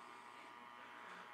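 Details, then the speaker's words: Radio receiver (receive-only circuit) picking up constant raspy buzz with hum underneath, present before street lights came on; interference attributed to neighbouring houses' LED decorative Christmas lights, not LED street lights. "so this noise was here before street lights turned on so this was actually all this noise is actually caused by Christmas Elites LED decorative Christmas lights"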